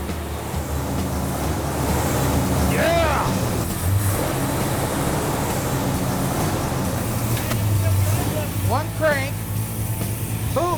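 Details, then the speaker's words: 1970 Plymouth Road Runner, numbers-matching 383 V8 with automatic, restored, timing set: started right up; deep, steady low rumble with an even beat and no misses or knocks, idling smoothly and healthy. "Let's see if it'll run. Man, that started right up. Man, sounds good."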